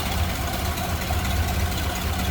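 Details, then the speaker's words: 1929 Ford Model A Roadster four-cylinder idling with the hood open: even low idle throb, steady unhurried beat, no knocks or misses; smooth running, normal idle. "smooth running, nice clean engine bay too."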